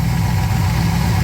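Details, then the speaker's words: Classic car engine at idle after a vacuum leak repair: steady low rumbling idle with an even beat, previous hissing gone, idling cleanly. "I just love the way that sounds. Well, I don't hear the hissing anymore."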